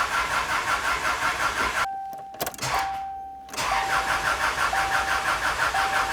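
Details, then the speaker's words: About 2001 Subaru Outback non-runner after new oil, antifreeze and battery: starter spins engine evenly, pauses, cranks again without catching; crank no-start because the fuel lines were crossed, no fuel reaching engine. "Turning over good, but it's not firing up. I got plenty of fuel there. Okay, we are back. So, I had uh I had the fuel lines crossed."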